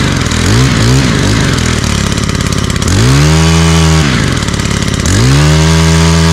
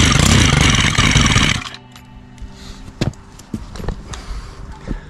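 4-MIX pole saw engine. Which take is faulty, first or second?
second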